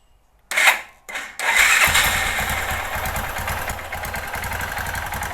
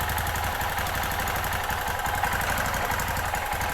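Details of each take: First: 2005 Kawasaki Bayou 250 single-cylinder, just started cold: fires after two pulls, idles lumpy and uneven, hunting slightly, slight valve tick, no knock; rough running from a worn Chinese carburetor, replacement coming, improves when warm. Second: 2005 Kawasaki Bayou 250 after cheap top-end job, warmed up, poor Chinese carburettor to be replaced: single cylinder idles steady with light valve tick, no knocking, smoke only at first start; healthy idle.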